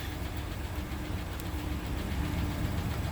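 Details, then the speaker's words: 2016 Ford F-150 at about 20,733 miles, check engine light and rough running: engine idles with a misfire, an uneven lumpy beat of about four pulses a second with visible vibration and an audible tick, from a dead cylinder. "the engine is running with a misfire you can also see some vibration up here at the instant-read we can also hear a tick in the engine"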